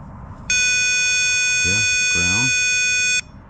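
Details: Power probe touched to a headlight high/low beam ground wire while chasing wiring faults: steady high electronic tone for about three seconds, confirming a good ground.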